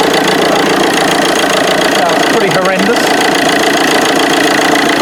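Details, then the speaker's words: Vauxhall Corsa D 1.3 CDTI diesel idling: harsh, uneven rattle from the auxiliary belt on the left-hand side, with belt and tensioner vibrating badly, caused by a seized alternator overrunning clutch pulley. "so actually just heard quite a rattle sound coming from the side of this engine and it's actually from the belt itself from the auxiliary belt"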